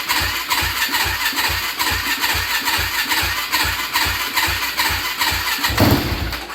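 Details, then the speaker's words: Yamaha Blaster ATV with a swapped YFZ 450 engine, bought unheard, stock pipe: catches and chuffs unevenly about two beats a second, never settling, then dies; fuel starvation, no gas coming from the tank until switched to reserve. "I just don't think it's got enough gas in it. Yep, there's no gas coming out of the tank."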